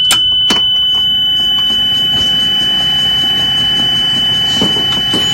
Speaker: I'm gonna put it in reverse. You hear the buzzer sound when you hit the gas.